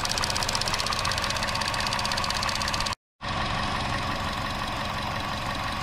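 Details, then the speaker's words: Chevy Sonic petrol engine idling with EVAP purge valve connector and hose disconnected: steady airy hiss of vacuum sucking air through stuck-open valve, possibly causing lean condition and P0171 code; smoke test found no other leaks; valve to be replaced. "Okay guys, so what we did here is we disconnected this, and you can hear the hissing noise. You hear that? So it's sucking up air."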